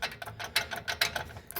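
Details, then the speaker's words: A20 pickup with a right side (passenger side) wheel noise that sounds like the wheel will fall off; knocking the brake caliper gives sharp tinny clicks and rattles from a broken, loose pad retaining clip inside; brake pad clip rattle. "Ela tem uma trava da pastilha e essa trava ela quebrou, ó. Soltinha aqui dentro. Ó o barulho que isso aqui faz. Ó o barulho. Parece que vai cair a roda."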